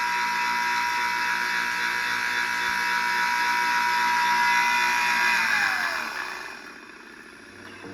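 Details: PPA Brutalle 3.0 JetFlex industrial sliding gate motor: runs with a steady high whine and rough buzz, then winds down and stops; worn motor bearings with play in the shaft.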